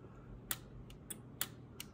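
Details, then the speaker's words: Drake T4XB ham radio transmitter on the bench, powered up without mixer tube, driver or finals, after resistor fire and solder shorts: crisp separate relay clicks, about five in two seconds, over a faint hum; relays switching normally. "I like the Drake t4xb this is the one I started off with and this one and I even have some relays clicking here"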